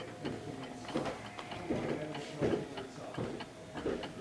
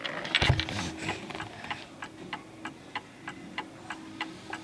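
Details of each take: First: 1930s Garrard Art Deco oak mantel clock with an 8-day pendulum movement, being adjusted at the pendulum stem: slightly uneven ticking where tick and tock don't match, so it is out of beat. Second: 1930s Garrard Art Deco oak mantel clock, 8-day pendulum movement with gong strike, giving crisp, evenly spaced ticks about three a second, running steadily; normal even tick, clock in beat.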